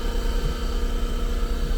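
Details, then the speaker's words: 2023 Ford Super Duty 6.7 high output Pro Power onboard inverter at about 1200 watts: low, heavy, laboured hum with no fan whir; the compressor is barely running on the limited power. "she's running it found the power to run but barely it's barely doing it it's barely operating man"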